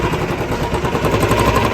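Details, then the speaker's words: Royal Enfield Bullet 350 Standard single at idle: rapid metallic clatter over the thump, then cuts off; head noise plus crank noise; valves and valve guides found fully worn, to be replaced. "प्रकार की आवाज होती है इसके अंदर एक crank की आती है आवाज दूसरी आवाज आती है हेड के वॉल की"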